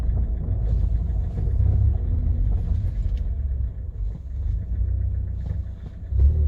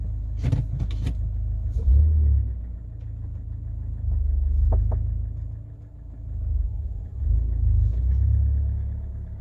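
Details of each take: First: Kia Cerato with 472,000 km, test drive after replacing worn door hinges that had knocked when pulling away in first gear; only low road rumble and drivetrain hum, no door knocks or clunks — normal driving, no door knock. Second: Kia Cerato at 472,000 km pulling away in first gear: over low road rumble, sharp isolated clunks from the doors; worn door hinges letting the doors knock.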